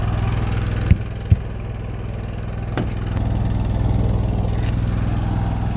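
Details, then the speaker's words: Newly installed Onan 5500 (5.5K) LP propane generator in a 2000 Newmar Kountry Aire 5th wheel, after LP leak test, running about an hour: steady low chugging hum at even speed after a couple of brief clunks; normal running. "I've been running it for about an hour now everything seems to be doing fine now so I think that's pretty much it"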